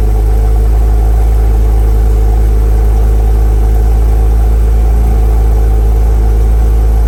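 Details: 2006 Porsche Cayman S 987.1 after spark plug and ignition coil replacement, first start after sitting almost a week: deep steady flat-six idle, no misfire or ticking, no smoke; runs well.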